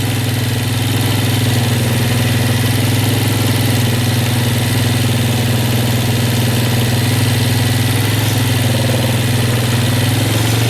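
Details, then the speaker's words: Yamaha Warrior ATV single-cylinder, first start after restoration with a rebuilt carb, not yet warmed up. It holds a steady, fast, smooth idle with no dip; the idle is high because the choke was left on. "a little bit of a high idle but I need to turn give it a little more fuel that might turn out"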